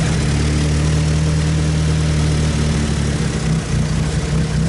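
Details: Mitsubishi 4G63 engine at idle: a deep, uneven, loping beat that wanders and never settles into a smooth rhythm; lumpy idle.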